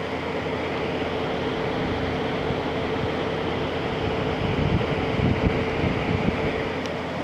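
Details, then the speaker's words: LG ThinQ window air conditioner, about 10,000 BTU, after a capacitor change, fan on low speed. Steady even airflow rush with a faint hum, no rattles or scraping; small difference between speeds, not as quiet as an older LG. Normal. "not not quite as quiet as that other big LG I had that older one that one is really quiet on low this one's not quite as"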